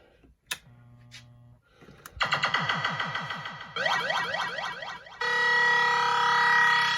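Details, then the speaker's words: Williams System 6/7 sound boards (Pharaoh, Black Knight) after replacing the DAC0808, voice ROMs and sockets: clean sweeping zaps, descending chirps and a bright sustained tone without crackle or dropouts; normal sound output. "So we're good to go on both these boards."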